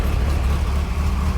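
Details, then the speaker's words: 1973 Lotus Europa after years of sitting, with newly fitted Stromberg carbs and exhaust: first start, unchoked. It settles straight into a steady, even, clean idle with no misses or stumbles, starting right up like fuel injection. "I am in love with the way this thing runs, and I'm so glad that, you know, taking the chance and buying carbs and buying an exhaust, not knowing if everything was okay, and ended up winning in that way."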